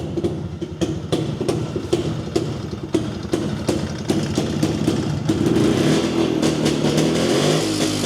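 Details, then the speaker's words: Jawa 250 two-stroke, first run after opening the engine for heavy smoking after a dyno run (gasket failure suspected), not yet warmed: uneven popping smoothing into steadier idle with blips; still some smoke, but less than before. "Kyllähän tuo jonkun verran savuttaa vielä, mutta kyllä nyt kaksi tahti aina savuttaa, mutta ei se kun se aikaisemmin ihan näin paha ollut,"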